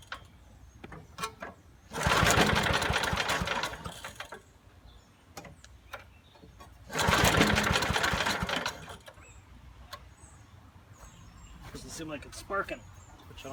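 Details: 1980s Billy Goat vacuum, turpentine-smelling old gas, carb cleaner added, spark weak: two pulls each give a couple of seconds of quick rattling spin with no firing. No-start.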